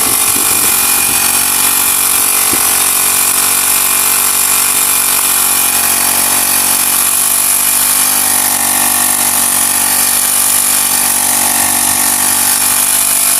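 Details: Honda GX35 grass cutter four-stroke after carburetor cleaning: steady, high buzzing run with no stumbling or surging, pulling clean and even. Spark plug, fuel filter and clutch were fine; the dirty carburetor and fuel passage had caused stalling.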